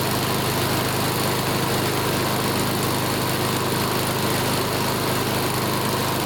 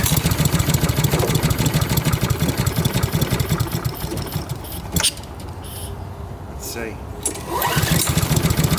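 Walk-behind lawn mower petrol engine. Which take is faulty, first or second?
second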